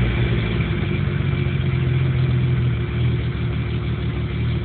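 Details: 1997 Jeep Cherokee with no codes: low idle drone whose pitch wavers and surges unevenly instead of holding steady; it won't idle right and dies under power, a rough idle with the cause still unknown.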